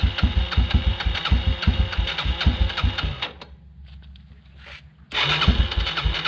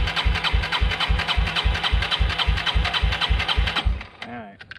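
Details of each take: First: 1996 Yamaha Timberwolf 250 ATV single-cylinder, after fuel system cleaned and bad gas drained (previously wouldn't stay running): quick steady thumping, short cranking pause, then catches and settles to an even idle; normal running. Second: 1996 Yamaha Timberwolf 250 ATV brought in not running, petcock giving little fuel to filter: engine chugs evenly about 3.5 beats a second for four seconds then dies, won't stay running; carburetor suspected, not confirmed.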